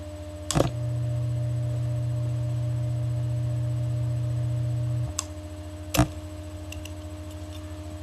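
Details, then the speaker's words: Bell & Gossett 1/12 hp pump motor, 1725 rpm, single-phase 110 V, 1.7 A, believed to have a centrifugal start switch: sharp click at start-up, steady hum about four seconds, another click on shutdown as it slows; normal start switch. "I'll shut it off you can hear the click I just started it you can hear that switch in"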